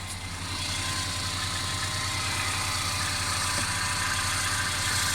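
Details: Mercedes CLA 250 engine, car stutters when accelerating after long slow driving: constant fast rattle, about three to four pulses a second, over a smooth idle; continuous engine rattle, cause not determined.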